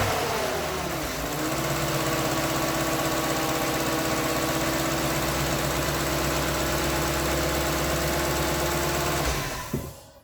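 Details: Lexus LS460 first start after starter replacement: engine catches within a second and settles to a smooth, steady idle with no grinding or clicking from the new starter.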